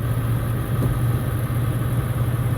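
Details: 1999 Ford E-450 ambulance-to-RV conversion, 7.3 Power Stroke diesel, after oil change: warm diesel clatters at a steady, even idle with a strong low drone and no knocks or misses; sounds healthy.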